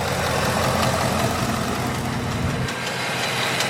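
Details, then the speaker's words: Mustang GT Coyote V8 at idle: a fast, fairly even tick, about two to three per second, stands out over the rumble. The owner likens it to the typewriter tick Coyotes have; cause suspected, not confirmed. "as you guys can hear the Ticky sound um obviously it doesn't sound good but it sounds like the typewriter which coyotes have this Ticky sound that just tick tick TI while it's idling"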